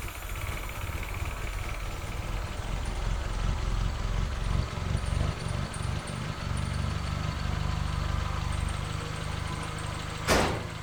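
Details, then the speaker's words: 1976 Toyota Celica RA23, rebuilt engine sitting for years, after correcting spark plug wires that were on the wrong way: even, steady four-cylinder rumble with no misses and a brief throttle blip; all cylinders firing, healthy. "Well, that sounds much better. Yes! So, winner chicken dinner."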